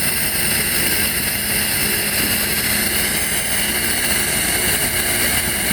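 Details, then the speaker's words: AC system during vacuum work: steady, even rushing hiss with no engine running, air escaping at a fitting, fading as pressure drops; suspected faulty bolt at the valve, unconfirmed; air leak hiss. "I closed the end of the pipe and the sound's getting okay. The air is coming out, but it's getting lower."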